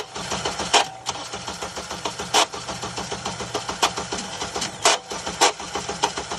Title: Sound of a bad starter on a 2008 Honda CRV.